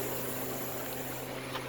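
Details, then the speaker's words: Walk-in freezer, Ke2 Therm evaporator controller, just after evaporator fan motors were replaced: constant low hum with a steady airy rush, no vibration, wobble or rattle; new fans running properly. "You can clearly hear how much better they're running without vibrating and moving air like they're supposed to be."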